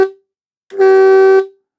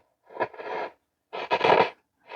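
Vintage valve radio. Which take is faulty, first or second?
second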